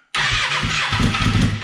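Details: Fuel-injected 2014 Kawasaki Ninja 636, about 6,000 miles, after new plugs and air filter and smog pump block-off: the starter spins it under two seconds without catching. All plugs show spark; a friend suggests clogged injectors or a bad fuel pump.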